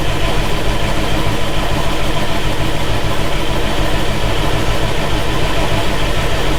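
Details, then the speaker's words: John Deere 6170M diesel after engine rebuild, cranking with lift pump running but not starting: a common-rail injection line left untightened bleeds off rail pressure; steady cranking about 200 per minute, never catching. Human error; owner will check all lines. "Thought it would have started by now. Oh, looks like we had a line that we didn't tighten up on the rail, which would explain why It's not starting. All it takes is one of them to bleed all your pressure off on a common rail, and she ain't gonna start."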